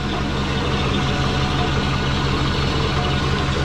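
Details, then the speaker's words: Subaru Forester after fixing low-mount exhaust, relocating O2 bung and a near engine failure with oil smoke: even, throbbing low idle, steady with no misses, rattles or knocks; nice normal idle. "everything sounds good they have the pom-pom about that noisy [Music] what do you reckon it sounds like a jetsons car but nice idle"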